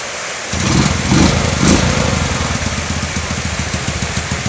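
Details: Yamaha Jupiter Z motorcycle after the clutch mechanism was fixed for a knocking clatter: engine catches and settles into an even, steady idle with a soft exhaust pulse and no clatter. Sounds healthy.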